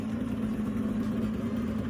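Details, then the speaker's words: J-swapped AWD 8th-gen Honda Civic idling after coolant lines were run and the coolant bled, engine temperature steady, radiator fans on: smooth, even low hum with fan whoosh, no knocks or misses; normal idle. "All right, so we're back. I got the car idling. The radiator fans are on. I don't know if you can hear it."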